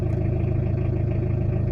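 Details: Tata Indica diesel after injection pump calibration and rotor blade and camshaft replacement: steady, even idle pulse with no hunting or stumble; rough idle solved.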